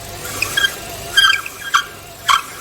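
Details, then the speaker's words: Power steering belt squeal in an engine bay, heard only when the steering wheel is turned: sharp high squeals in short bursts, quiet idle between; belt is stretched, loose and cracked in its grooves from age, overdue for replacement. "그런데 어떻게 하면 이런 소리가 나는가 하면 핸들을 돌려 보겠습니다"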